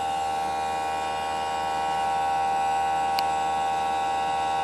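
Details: Newly installed Greenspeed heat pump: loud steady mid-pitched tonal hum with buzzy edge, unchanging; unit noisy, cause unknown.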